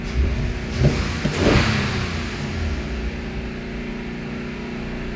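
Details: 2022 Toyota Avalon with engine and traction lights for multiple misfire, pending cylinders 3 and 6: engine blips and settles with a slightly uneven, stumbling beat, misfire confirmed on cylinder 3 after spark plugs were replaced.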